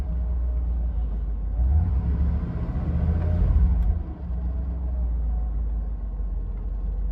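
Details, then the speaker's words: 1988 Mercedes-Benz 560 SL warming up after a cold start, water temp just rising, oil pressure still great: deep, even low rumble with a brief blip midway, then back to a steady smooth normal idle. "Starting to get a little bit of water temp. Still great oil pressure and an idle, very smooth."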